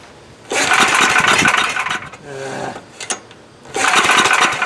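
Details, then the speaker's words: Coleman Powermate MAXA 5000 ER generator, old 10 hp engine, new replacement carb fitted, fuel added down cylinder: repeated recoil pulls spin it briefly, never fires; plug stays dry, fuel not reaching cylinder. "here I thought I had everything ready to go get fire yep plugs dry so nothing's getting up to it"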